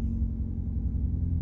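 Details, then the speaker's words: Car's first start after DIY clutch replacement, sat on jack stands for weeks without running; low lumpy wavering idle not settling, unhappy even in neutral, owner suspects the long sit, rough idle cause unclear. "okay it started up a bit funny I'm gonna put that down to the fact it's not been starting quite a few weeks and it's kind of been set up and Jack's stands it doesn't seem to be happy even in neutral"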